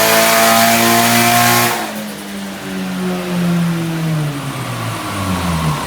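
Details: Nissan 180SX Type X, SR engine with TD06 20G turbo and muffler delete, dyno run at 15 psi with injectors maxed near 255 rwkw: strong, clean pull with smoothly rising note, no misses or knocks. Healthy turbo engine under load.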